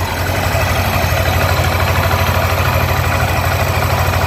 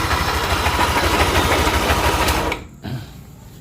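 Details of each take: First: Yamaha NMAX new (2020s) after replacing camshaft bearings with racing bearings and lower tensioner, oil jet hole added, previously "sek sek" noise: steady even idle, no knocking or rattle from the top end; normal after repair. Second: 2020s Yamaha NMAX run without the pulley, noise from front cylinder head area: fast rough scraping rattle about three per second until shut-off; suspected camshaft bearing, rocker or valve.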